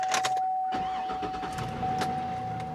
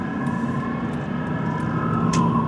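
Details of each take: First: GMT800 truck, unusually nice inside with factory radio: fires right up with a short crank and settles to a quiet, even idle under a steady chime; tire monitor and airbag warning lights show. Healthy start. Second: GMT800 truck driving on road: steady thin high-pitched squeal like a cat screaming over engine and road noise, source unknown, no dash warning lights.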